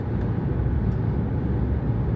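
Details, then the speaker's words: Jeep Grand Cherokee WK2 at highway speed around 75 after padding the windshield cowl contact points: steady road and wind rumble, no humming tone; the cowl is now quiet. "as you can see now it's quiet can even go a little further now we have more wind noise in the chassis but the cowl is completely quiet now"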